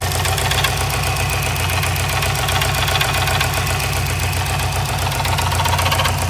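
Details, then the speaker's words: Subaru WRX STI idling: hard steady metallic knocking about four a second, owner confirms rod knock; timing tensioner also checked, ringland failure suspected. "oh I have confirmed my suspicions about the knock yeah definitely rod knock"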